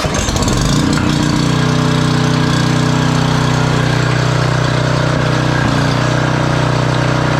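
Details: Generac 5000 W generator, Briggs & Stratton 10 hp, sat for years, restarted with wire refitted: catches quickly, settles into a smooth, even steady drone with no misses or knocks; running normally.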